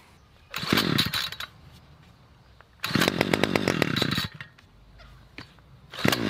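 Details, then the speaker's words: Budget petrol string trimmer, four years old, small two-stroke, after a fuel line replacement and priming: fires up in short buzzing bursts with quiet gaps, revving cleanly each time. Now running properly. "Got there in the end. Seems to be running all right now."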